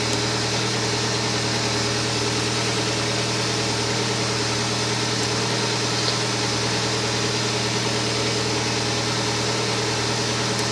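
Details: Kia Spectra at idle: a steady electrical whine rides over the engine hum; a bad alternator is suspected, but the exact fault is not confirmed.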